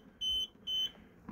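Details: 2017 Roller Team 747 motorhome fridge switched on in battery mode gives two short, shrill beeps warning of no power; battery mode needs the engine running.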